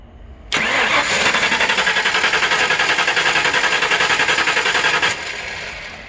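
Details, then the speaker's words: 5.0L Ford Mustang with TFI ignition, engine computer removed: starter cranks at a steady, even chug about four and a half seconds, never catches, while inline tester shows spark; no-start with computer unplugged. "Now, how do we know if the computer is part of that equation? It's real simple. I took it out of the car."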